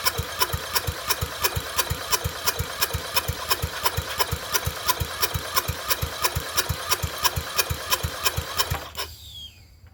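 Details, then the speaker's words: Murray Select 30-inch riding mower, first start attempt before repair, on a battery pack, air filter needing replacement: even starter chugs near three per second for nine seconds, never firing; cranks, no start, carburetor next. "least it turns over. Good. Good sign. I just wanted to see if it would bark."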